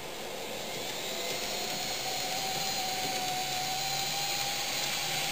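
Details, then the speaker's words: Fox Valley Models N scale GP60m locomotive, no DCC or sound, lubricated and run for hours: thin high whine as it speeds up, bearings screaming; trailing unit 152 and B unit worst, not solved by break-in. "And you can hear the bearings start to scream."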